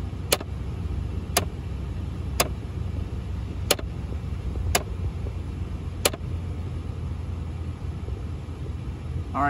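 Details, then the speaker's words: 2002-2005 Ford Explorer with poor heat, engine idling: sharp pops about once a second from behind the dash, likely from a failing heater blend door actuator. The vacuum actuators are not suspected. "i you can definitely hear the popping sound it sounds like it's coming from behind somewhere in here i don't think it's these vacuum actuators"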